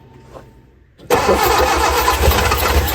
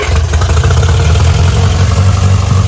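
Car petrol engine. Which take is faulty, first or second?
first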